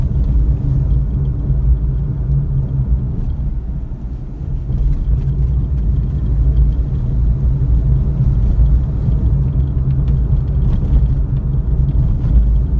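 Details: Suzuki Alto on a road test after replacing the steering rack with a rebuilt unit: steady low road rumble with no clunks over manholes or bumps, or when steering left and right. The earlier clunk is gone.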